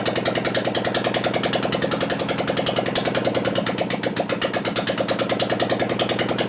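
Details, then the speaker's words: 2001 Gilroy Indian race bike engine after rebuild, run with no exhaust pipes on single-fire ignition. An uneven, stumbling beat with sharp ticking; one cylinder fires only about 20% of the time. A dead cylinder from ignition is suspected (plug wires/coil). "I bet it's got a dead cylinder from ignition. Something here, right? You can tell it wants to hit."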